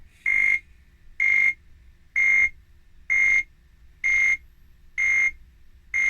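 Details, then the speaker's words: Atari 520STFM with a power-on fault: steady high beeps about once a second, with the keyboard light flashing; it still beeps with another keyboard, so the keyboard is not the cause; the board fault is still being traced. "turning the machine on, you can hear that rhythmic beep, and you can also, if you have a look, you can see that keyboard light just flashing away, and that's it."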